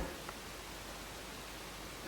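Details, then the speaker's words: Showtec 1W RGB LED PAR64 Long Nose, about 12 years old, after replacing its growling fan: steady even airy hiss from the new cooling fan in a quiet room, no grinding or rattle. "it's now just making the noise that it should be making for this fan"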